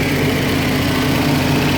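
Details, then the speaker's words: 1972 Range Rover A-suffix V8 with linked, balanced carbs: busy even idle set high at around 1750 rpm, possibly running a little rich. "I've got the idle speed set quite high at the moment"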